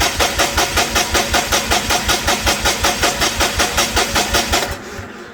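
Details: Perkins D3.152 diesel in a 1984 Lincoln SA250 welder, freshly rebuilt, first crank after install, injection pump off so no fuel, cranking to build oil pressure; strong even pulses about two and a half a second, no firing — normal cranking, oil pressure reached.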